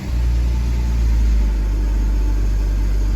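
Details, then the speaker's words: 2003 BMW Z4 after starter replacement done without removing the intake manifold: quick catch on the first turn, then a steady, even low idle hum with no misses or rattles; starts and runs normally, no check engine lights. "if you can just hear the engine started up just fine I did in fact replace the starter without removing the uh intake manifold everything is working good"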